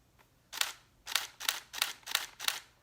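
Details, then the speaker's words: Nikon D750 DSLR in QC (quiet continuous) mode: six crisp, sharp shutter clacks about a third to half a second apart in a quiet room, still pretty loud; normal shutter sound. "I don't know about you, but I still heard it. Still pretty loud."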